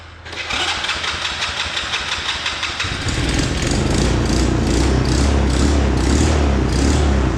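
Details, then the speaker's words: 125cc Chinese kids' ATV after carb clean and new spark plug, sat a while, started on battery source: cranks briefly, catches and settles to a quick, steady, even putter with no misses; idle then adjusted down, runs much smoother; normal start and idle. "that so I got to adjust the [Music] idle just the idle down a little bit here that's running a lot better than it was before a lot smoother getting way more RPM out of it"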